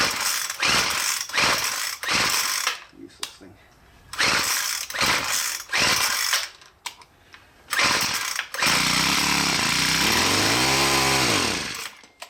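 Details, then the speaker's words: Poulan Pro PP428S string trimmer/polesaw combo after throttle cable replacement: several pull-cord bursts, then the small two-stroke catches with a brief sputter and revs up and down; runs normally. "Let's see if we can fire it up. Oh, a little sputter there."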